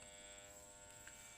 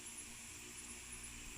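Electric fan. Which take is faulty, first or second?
first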